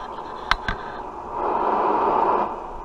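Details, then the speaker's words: D-Rail Striker SR 955 HPC radio after repairing a faulty IC that had killed receive audio: a couple of sharp clicks, then steady soft hiss swelling and fading; receive audio restored and working normally. "Okay, we're all fixed. As you can hear, we got receive audio,"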